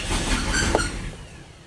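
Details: Lexus LS400, owner thinks 1997, bought non-running: after clearing codes (a mass air flow sensor code had appeared), a brief burst of cranking dies within a second without catching; it cranks but won't start, back to the earlier fault.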